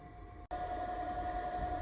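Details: Vevor 12V 2500W/5000W inverter under load near its 2500W max: steady high whine near 700 Hz over an even fan rush; running normally under heavy load.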